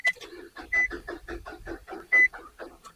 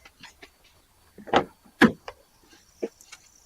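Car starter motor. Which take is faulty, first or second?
first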